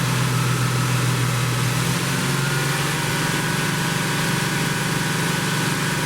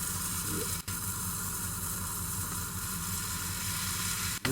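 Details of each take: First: 1972 Plymouth Roadrunner 383 Magnum V8, after sitting 15+ months unrun, during cam break-in: strong steady high idle, deep even rumble, no knocks or ticking; normal fast idle. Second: 1972 Plymouth Roadrunner 383 Magnum V8 during cam break-in after 15+ months unrun: steady hiss and sizzle over low engine rumble from an unsealed intake manifold stud; intake manifold stud vacuum leak.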